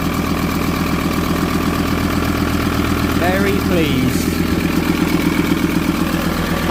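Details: VW T4 van diesel, just fitted with boost pipes, vacuum lines and a pod filter: steady, even idle clatter at about four beats a second with no misses or knocks. It is idling healthy.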